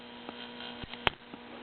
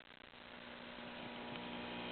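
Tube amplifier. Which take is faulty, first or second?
second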